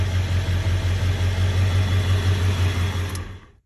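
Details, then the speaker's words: Ford 7.3 Powerstroke diesel on cold start after installing injector shims (and starter) to fix cold no-start and white smoke: low, even rumble with smooth unbroken beat; solid normal idle. "easier to help overall that's solid idle too"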